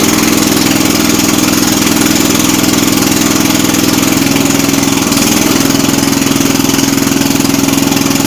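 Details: Jacobsen Chief 800 garden tractor under restoration, started on choke with idle turned up: small single-cylinder engine idling with a buzzy, hunting rhythm that wavers; owner concludes the carb needs adjusting.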